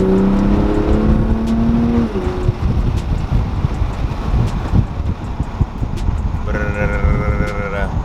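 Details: Toyota Supra at speed with the windows down, before an AMS wind buffeting kit: deep, throbbing low rumble that pressurizes the cabin; wind buffeting with windows open.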